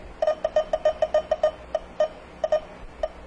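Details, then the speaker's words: Car A/C refrigerant leak detector probe near the leak with engine off: sharp mid-pitched beeps in uneven bursts, about three a second, thinning out, seemingly less sensitive; still detecting residual refrigerant. "efully you can hear it beeping and indeed as I get closer to where that week was well check that out all right well pretty cool"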